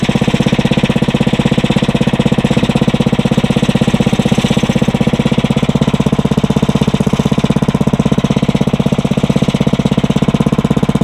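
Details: Briggs & Stratton 900 series engine, used about 2 hours a year, oil unchanged for a long time, cold start on choke after cold nights, started on first pull; steady, even putter about four beats a second, no misses or stumbles. Normal cold start and idle.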